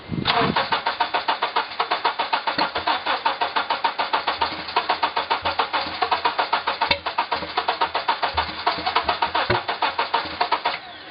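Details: 2003 Honda Element EX AWD with spark confirmed in all 4 cylinders, cranking after starter fluid sprayed into the intake manifold: even starter chugging about three and a half turns a second for ten seconds, never firing. It cranks but won't start.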